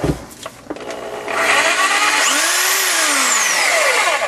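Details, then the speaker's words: Dewalt DW321 saw, repaired after it would not cut: a few handling clicks, then the motor spins up to a smooth, steady high whine without the loud clicking it had before (likely a flat spot popping under the bracket); normal running. "now it works just fine"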